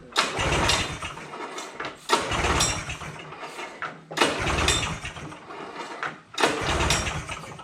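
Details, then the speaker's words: 1978 Polaris Cobra 440 two-stroke snowmobile, sitting about 20 years, first start after getting spark: sputtering bursts about every two seconds catch and rev briefly; fires cleanly and starts. "Smokes a little bit, that's what's supposed to be because it's 2 strokes. Just starting. Nice! Started! Sounded good."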